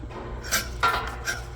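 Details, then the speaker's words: Twister T4 cannabis trimmer, stainless version, paper cut test during pre-run inspection: short dry rasping swipes as the blades slice paper cleanly, so the blades are sharp and making contact. "it cuts paper nicely now if your machine isn't cutting paper it can be a few things the blades may be dull"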